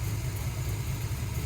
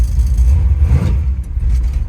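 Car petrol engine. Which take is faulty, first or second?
second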